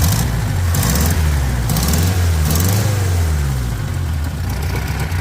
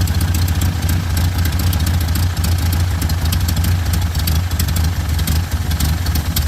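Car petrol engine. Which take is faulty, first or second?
second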